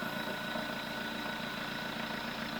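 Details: Tracker turbo diesel pickup after valve replacement, electromagnetic valve controlling the throttle butterfly with the turbo: quiet, steady idle hum with no knocks or surging, taking a long time to warm up; sounds normal.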